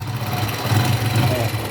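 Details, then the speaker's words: Honda Pop 100 after repair, engine overhaul and new shocks fitted: quiet, even single-cylinder idle with no tapping or rattle, much quieter than before. "e olha esse motorzinho como ficou lindo rapaziada silencioso cara olha olha que motor da hora que ficou"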